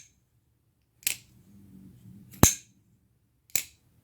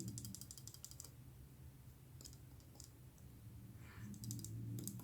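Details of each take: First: the sound of that lock up gives me a knife nerd never mind i'm not going to say that Second: Bestech Paladin pocketknife shaken: light, quick dry metallic clicking, something loose inside the handle; owner suspects a screw or barrel under the back spacer, disassembly found no cause.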